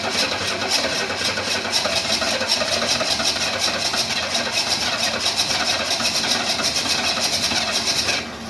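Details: 1968 Ford Mustang after long storage, about 2.5 gallons of fresh gas mixed with leftover fuel: about eight seconds of steady rhythmic cranking that never catches; battery then ran down. Finding: cranks but does not start.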